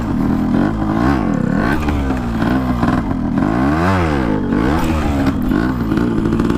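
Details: RX two-stroke started for the first time after a from-scratch restoration, piston pin not yet replaced: a crisp buzz revved up and down repeatedly, pitch climbing and falling cleanly with the throttle; the engine runs healthy.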